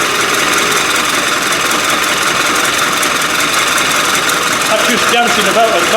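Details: Land Rover 300Tdi diesel after rebuild and installation, first start-up after a fuel pump problem was fixed, running on water for coolant: diesel clatter settles into an even idle with a couple of revs, no misses or knocks; running properly.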